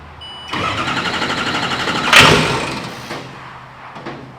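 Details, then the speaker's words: 6.0 Power Stroke diesel swapped into a Mustang, first start with lift pump on: cranks with rapid ticking, catches briefly with sharp burst, then dies; owner suspects computer shutting down because unplugged neutral/park (NSBU) connector. "So it's starting and dying, and I think it's because it's smarter than we are for the moment."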